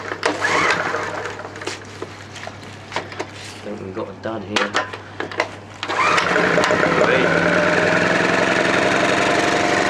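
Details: Honda generator, untouched and unused for about three months, cold start: a few pulls and clatter, then it catches at once and settles into an even, steady run; normal cold start and idle.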